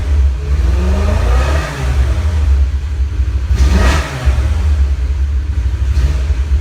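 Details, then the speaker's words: 2002 BMW E46 M3 revving with a slight uneven, stumbling miss; owner suspects a bad plug wire or similar; plugs and wires to be done at engine-out service; engine misfire. "I have a bad plug wire or something. You hear that little miss, it sounds like it's only running on 7 cylinders right now."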